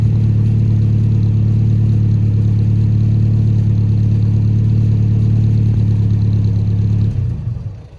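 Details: 1960s Sunbeam Rapier Mk III, idling on a chilly morning after a little choke, heard from the back: a steady, even low hum with a smooth, unchanging beat and no knocks or misses. Running healthy.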